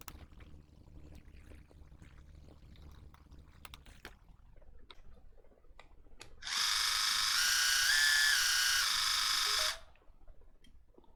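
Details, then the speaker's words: Water flosser (5 V) after repair, its faulty protection board bypassed with a jumper wire until a replacement IC arrives: a steady, even high buzz for about three seconds, then a clean stop; the pump works normally. "so here it is all working again of course we need to change that protection IC but now it is working"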